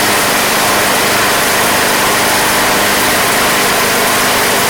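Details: Craftsman Platinum lawn mower with 190cc Briggs engine, bought as a no-start, running after a carburetor replacement: steady, even hiss-heavy roar with no surging, hunting or misses; holds speed smoothly and sounds healthy, though gas was seen coming from the crankcase vent.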